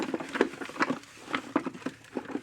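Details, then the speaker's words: Zareba 3 Mile Solar Fence Charger, unsealed ungasketed housing, shaken during testing before repair: irregular dry rattles and patter of loose debris rolling around inside the case. "rolling around the inside. Doesn't sound good."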